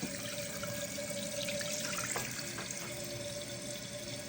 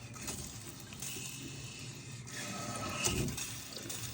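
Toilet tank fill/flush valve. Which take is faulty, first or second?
second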